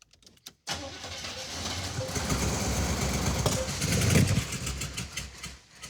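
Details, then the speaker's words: Engine with dual tanks and selector valve, gas poured in, choke was fully closed: catches and runs rough, surging and sagging for a few seconds; fuel starvation, no fuel reaching the carburetor, not mechanical. "we're troubleshooting why doesn't it want to run well it's pretty apparent it doesn't have fuel going to the carburetor"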